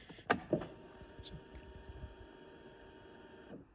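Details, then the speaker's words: 2016 Yamaha Venture Multi Purpose 499 cc four-stroke snowmobile, cold, key cycled before starting: a couple of key clicks, then a quiet steady electric whir for about three seconds that stops cleanly; fuel pump priming normally. "can hear that that was a fuel pump there kicking out do that two or three times and it really helps with cold starts"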